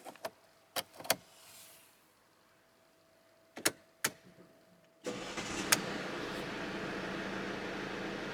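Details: 2013 Mercedes-Benz E220 CDI SE BlueEFFICIENCY Estate diesel, 1,581 miles, night start: key clicks, prompt firing, steady even idle with no knocks; normal cold start and idle.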